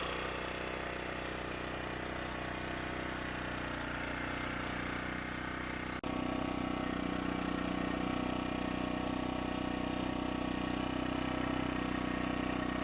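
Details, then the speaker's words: Champion 1500-watt generator (1200 running watts), first start after about six years unused: steady, even small-engine drone with constant pitch and no misses or knocks; it runs smoothly and powers a plugged-in light. "we are plugging in a light and the 150 receptacles let there be light and there was light the generator works"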